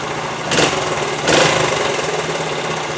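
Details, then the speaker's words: 1973 Honda TL 125 single-cylinder after carburetor rebuild for float-bowl overflow fuel leak; kick-started with choke half on, two sharp bursts then steady even idle putter, no misses; sounds good for 50 years old, no leak overnight. "yeah that looks good that sounds good right there for 50 years old"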